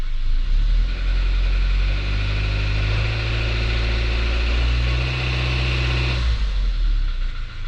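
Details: Suzuki Jimny Sierra JB74, past 15,000 km: light metallic rattle during low-rpm acceleration, fading once revs settle, persisting even with the engine warm; dealer eventually identified the cause and cured it.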